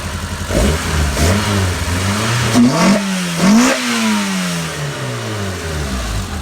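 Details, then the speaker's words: 1992 Honda Accord (CB7) track build, freshly wired with wideband installed, running on a new base map not yet tuned under load; crisp rev blips rising and falling, settling to a steady even idle; normal running. "he's actually able to get the air fuel ratio and get a better base tune in here so at this point in time this thing is running pretty well"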